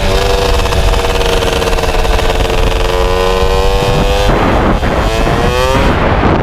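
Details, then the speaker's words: MBK 51 two-stroke moped after revival: buzzy note wavering and stumbling as revs change, uneven at low speed; owner feels it stumbles at low rpm, suspects mixture too lean or too rich, plans spark plug colour check to adjust. "Maintenant, le tout c'est de bien les régler parce qu'à bas régime, soit les trop pauvres, soit elle est trop riche. Je le sens, elle ratatouille."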